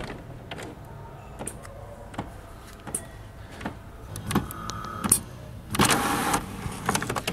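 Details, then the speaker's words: HP OfficeJet 7610/7612-type printer after a semi-full reset: scattered clicks, a motor whir, then a hissing air-pump burst pushing air into the cartridges. This is a normal printhead cleaning cycle. "está fazendo esse barulhinho aí, quer dizer que ela está fazendo a limpeza de cabeçote, né?"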